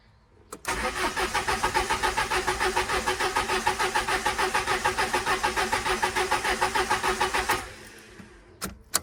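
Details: Peugeot 306 cabrio, 2000 (owner says 1998), no-start diagnosis: starter spins steadily at three-plus beats a second for about seven seconds, never fires, then stops.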